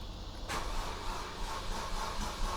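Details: Mercedes SLK350 after radiator/condenser work and battery reconnection: steady low chugging of the starter turning the engine over with no firing or pickup to idle; long crank, no start.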